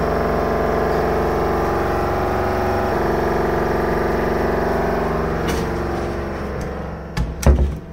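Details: LG WVC9-1410W washer dryer: a loud, steady droning hum while running, then it winds down with dull thumps. Repair technicians report an issue with the suspension rods.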